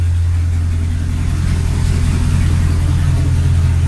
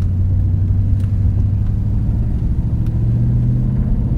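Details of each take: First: Nissan Titan at idle with both rear cats deleted and the front passenger cat gutted itself: loud, deep, raspy rumble with steady low pulsing, open exhaust as the back pipes are disconnected. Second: Nissan Titan V8 driving after rear catalytic converters deleted and front passenger cat self-gutted: deep, loud steady exhaust rumble without knocks or rattles; sounds good, just quite a bit louder.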